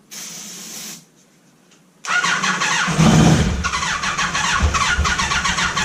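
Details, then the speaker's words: Neglected Kawasaki ZG1000 Concours four-cylinder revived for parts: starter catches and engine settles into even busy run with faint telltale whine, no knocks; sounds healthy. "good that motor sounds good she's got that telltale wine I like"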